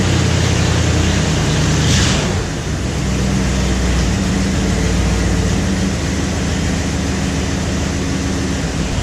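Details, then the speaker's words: Ford Bronco V8 just after a cold start, unrun for about a year, on straight-pipe dual exhausts: steady, even low idle rumble with no knocks or stumbles, sounding healthy. "alive actually fired right up shaking around I'm here to take several mini cranks to get this thing fired fired right up"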